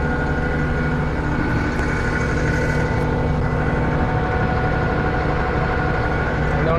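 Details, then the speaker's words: John Deere 6620 combine in the cab after harvest prep, recorded with microphone noise cancellation off; steady, even low diesel rumble at idle, no knocks, rattles or squeals, running smooth and remarkably quiet. "all right y'all I've got my microphone off noise cancellation so that y'all can hear what it actually sounds like is that not quiet or what blows my mind how much quieter it is in here"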